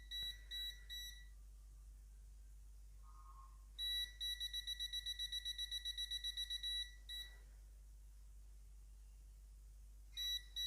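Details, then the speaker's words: Multimeter in NCV (non-contact voltage) mode, antenna brought near a live conductor without probes: short high-pitched beeps in quick bursts, about two or three a second, with a warning light, detecting the electric field. "To turn it on, we don't need any probes. We can just set it to NCV, and this right here is the antenna. So to use it, you can bring it near any live conductor, like this is a live conductor here."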